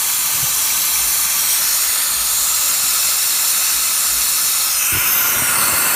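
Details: Diesel with a hot no-start, cylinder air test: loud, steady hiss of escaping air that never changes pitch; air leaking past in the cylinder, leak point not stated.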